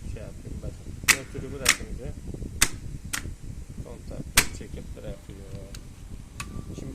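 Sharp, irregular clicks a second or so apart as the contactor pulls in and drops out instead of holding.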